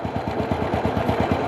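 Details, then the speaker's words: Thai small single-cylinder motorcycle (W100 U-box) that burns oil and lacks power, at idle: quick light rattle about a dozen ticks a second from worn cam chain and tensioner rubbers; piston/ring rebuild and clutch rubbers also planned. "เสียงพวกยางกลิ้งยางกดครับมันมีอาการนิดนึงนะครับแล้วก็มีเสียงชุดเสียงยางย้ำคัดนะครับมีอาการเสียงยางยำคัดดังเราก็คงจะต้องได้ทำเครื่องลูกสูบแหวนนะครับคว้าลูกสูบแหวนเปลี่ยนยางกิ้งยางกดโซลลิ้นนะครับ"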